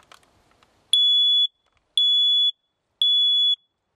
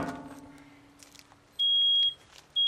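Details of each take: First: Photoelectric smoke alarm pressed on its test button before a smoldering fire test: four loud, shrill half-second beeps about a second apart, sounder working properly. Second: Photoelectric smoke alarm going off within a couple of seconds of smoldering couch-cushion smoke from a soldering iron in a covered aquarium: loud, high half-second beeps each second; the other alarm, slow for this fire type, then also sounds.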